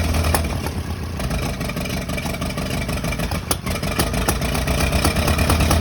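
Engine runs with an uneven, lumpy beat and irregular thumps about three a second, suggesting a possible misfire, cause unknown.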